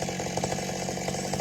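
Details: McCulloch Super Pro 70 two-stroke chainsaw after fix, previously all over the place: holds an even, steady buzz with no hunting or surging, running smooth and settled.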